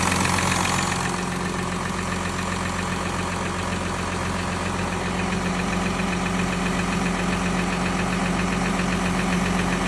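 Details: VW Touareg 3.0 TDI CRCA diesel, cold start: idle with firm, fairly even knock about two to three per second over the rumble; cold engine knock, cause unknown.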